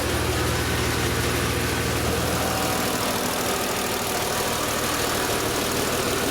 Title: Strange sound in idle+ VANOS - M3 E36 S50B32